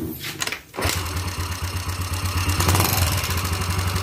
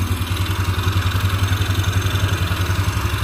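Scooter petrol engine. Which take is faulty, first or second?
first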